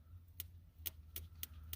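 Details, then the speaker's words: Plymouth Duster abandoned for two decades: a wire from the ballast resistor/ignition box is touched to battery positive, giving sharp, uneven dry snaps, about five in two seconds, over a low hum. The coil fires and there is spark at the plug. "so whenever you touch the wire to positive listen and hear it popping far"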